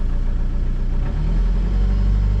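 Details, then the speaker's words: Diesel machine with 5,500 hours, started in cold weather: slight stammer at start, then a deep steady low rumble that smooths right up and rises slightly under light throttle; normal healthy running. "oh smooths right up oh yeah i like that this thing sounds good got 5500 hours on it"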